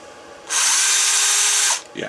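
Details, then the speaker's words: Makita 9.6 V cordless drill run from a DPS5015 programmable buck converter set around 11 V or more, fed by a linear power supply: it spins up quickly to a clean, steady high whine and holds it smoothly before stopping; a normal, healthy run. "so not bad it'll run power tools not that that's what you would use it for but but you could"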